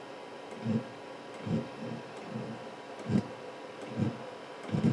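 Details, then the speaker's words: Diesel heater modified to run on petrol, at start-up after the glow plug draws up to 8 amps: soft, evenly spaced ticks about seventy a minute as the fuel pump doses fuel before light-off; normal pump ticking. "It'll start doing that, and it'll start pumping fuel, and then we'll start to hear it kick in, hopefully. Fingers crossed, it's worked every time, except when I'm filming, because guaranteed the first time you start filming, that's when it's not going to work. Okay, the fuel pump is now pumping."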